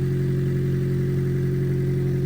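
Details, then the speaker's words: Newly bought Acura RSX, started to show it runs: loud, raspy idle with rapid puffing pulse and no mechanical knock, sounding horrendous because the headers leak where the cat is; exhaust leak at header. "I could jump it jump it quick and let it run for a minute so you guys can actually see that it does run just sounds horrendous cuz the uh headers leak where the cat is but it's all there"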